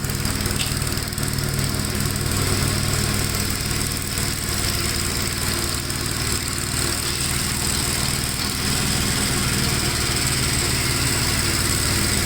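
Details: 1957 Gravely tractor mowing wet grass: its single cylinder thumps steadily under load with no misses, bogging or knocks. It pulls strong with power to spare and runs normally.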